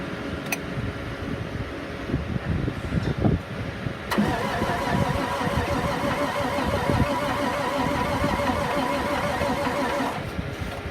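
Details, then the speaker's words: 2005 International 4300 dump truck, DT466 7.6 L diesel, 195,419 miles: starter spins steadily about three compressions a second but never fires, even with starting fluid; crank no start, shop suspects electrical issue. "That's all we get out of it. I don't want to drain the battery completely. We tried spraying starting fluid. We could not get it to start."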